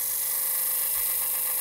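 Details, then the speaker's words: Five-day-old Dremel 3000 rotary tool at raised speed: high, steady whine with a rough edge; shaft earlier spun jerkily with slight runout, now more or less stable; abnormal noise, cause unclear. "вот так же если увеличить оборот а слышен звук"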